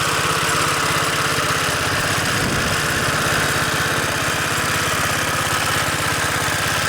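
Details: Vintage 2 hp Briggs and Stratton single-cylinder engine on a Montgomery Ward lawn edger, run after sitting 2 years in storage: smooth even quick putter, no misses or knocks; normal running.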